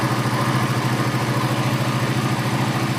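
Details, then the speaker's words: Suzuki GSX-R150 after full throttle body service, restarted with sensor unplugged and FI light on: even, steady single-cylinder putter at about 1500–1600 rpm idle, no misses or knocks; idle is right, left to warm and relearn. "Langsamnya udah pas banget nih ya. Tuh ya, ini 1500-an, 1600-an ya. Ini udah pas banget kan, dengerin ya."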